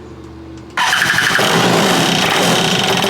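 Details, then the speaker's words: Free stand-up jet ski two-stroke, fresh fuel with fuel stabilizer in tank and sediment bowl, choked, something detached reattached: silence, then fires and runs harsh and ragged with an uneven raspy beat; rough running, judged good enough for the lake. "Alright, well, it kind of sounds terrible, but good enough for the lake."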